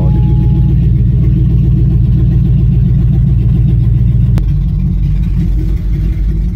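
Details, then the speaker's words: 2005 Chevy Tahoe 5.3L V8, no exhaust or cats fitted: loud deep idle with uneven stumbling pulse, misfire felt and heard with no trouble codes; clogged catalytic converter from bad oxygen sensor found. "we're gonna go into here but we have a misfire : still I can hear it and feel it no no trouble code system normal so everything's gotta be good right obviously not"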